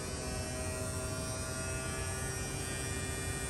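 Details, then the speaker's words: Mid-2018 Tesla Model 3 after replacing the electric AC compressor, while recharging with refrigerant slowly and AC on low: steady, even electric hum with a faint whine as the compressor spins up smoothly. Normal compressor operation. "now the compressor just turned on you hear that now we're going to slow it down we're in no hurry and since we're putting liquid in we don't want to bind up the compressor"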